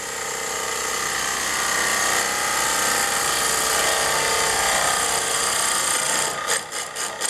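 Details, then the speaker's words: Wood lathe, skew chisel roughing down a rough piece of wood: steady buzzing cut with chattering as the tool is forced into the work instead of rubbing the bevel with even body weight. "Now, you hear that chattering, you start off"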